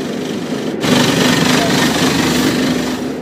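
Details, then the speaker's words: Rinnai water heater with hot water running: loud, steady boat-like roar with a coarse rumble that vibrates a bedroom window; owner suspects construction tape over the exhaust vent, with smoke seen at the vent. "sounds bad it sound like a boat trying to start or having some start issues it sound like a boat is really loud it vibrates the window in the second bedroom this noise is crazy"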